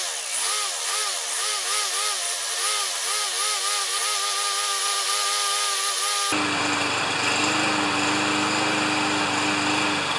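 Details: Self-propelled Lawn-Boy mower with Kohler engine, before repair, choke closed, kept running with squirted fuel: engine hunts up and down about three times a second, never settles; owner unsure choke or dirty carburetor.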